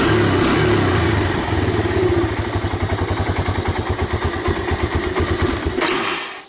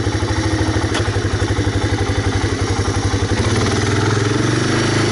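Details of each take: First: 1985 Honda ATC250ES Big Red carbureted engine, revived after sitting: it runs rich on choke, but off choke the idle falters into slow uneven beats and dies, even when warm. Suspected clogged carburetor idle circuit. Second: 1985 Honda Big Red ATC250ES three-wheeler, warmed up, choke off, after cleaning clogged carburetor jet: small single-cylinder engine putters at a steady, even idle with no stumbling, misses or stalling; previous stall-at-idle problem fixed.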